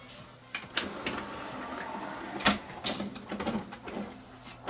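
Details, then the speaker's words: Pioneer CLD-M90 five-CD LaserDisc player, not working for laser discs: irregular motor whirring in short bursts with scattered clicks and no steady spin, the worn drive belt slipping. "not working for laser see sounds like we have a slipping belt so we need to take this one apart and fix the slipping belt"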